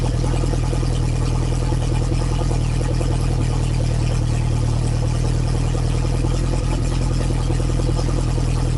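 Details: Lotus Esprit engine after refresh, Bosch injection still being tuned, started cold (only reached about 30–40°C): loud steady fast idle, deep even exhaust note, no misses or knocks; normal cold fast idle.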